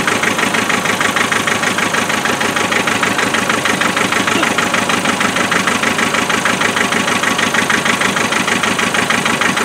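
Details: 2.5 naturally aspirated diesel started cold after glow plugs, clattering idle with a steady stumble about three times a second, one cylinder dropping out; misfire later traced using thermal camera and injector spray tests.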